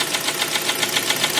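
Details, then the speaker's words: Kia Sportage: a sharp, even ticking knock about seven times a second over the running engine, an internal engine knock showing the engine needs a rebuild. "Вот как выглядят позывы к переборку ДВС на Спартаже SL. И это очередной обладатель Kia Sportage."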